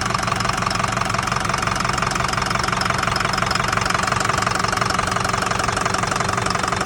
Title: 2005 F350 6.0 Powerstroke Bad engine noise